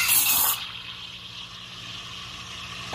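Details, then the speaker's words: Espresso machine steam wand heating milk, after one brief initial hiss of air the tip stays still: loud burst, then soft steady low hiss without high-pitched screech; quiet, smooth milk warming as opposed to frothing. "가만히 있으면 아까 방금 전에 엄청 소음이 심했던 게 소음 나지 않습니다. 그럼 이렇게 아주 부드럽게 우유가 데워지고 있습니다."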